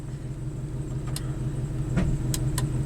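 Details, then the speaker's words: 1997 Ford F150 electronic shift-on-the-fly 4WD with intermittent fault (code P1838, transfer case shift motor circuit): steady idle with sharp clunks as the transfer case shifts into four low; shift motor working normally. "thing everything worked so let's go back to four high and four low clunk you saw the counterclockwise shift motor set off and then it you know adjusted itself went the other way a little bit so right now it's working fine"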